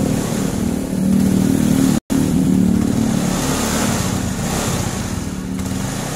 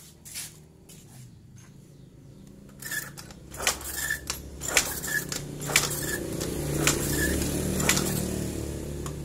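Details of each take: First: Yamaha carbureted small motorcycle (Mio/Fino/Jupiter Z/Vega ZR type) after ignition system checks of stator, regulator, CDI and coil for lost spark: idles and revs with steady, even note and a brief cut-out; fires cleanly and runs normally. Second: Yamaha carbureted scooter/moped (Mio/Fino/Jupiter Z/Vega ZR type) with lost ignition. Repeated kick strokes about once a second, a mechanical clack each time, no firing. The kiprok output was checked and the fault was traced to the regulator rectifier (kiprok).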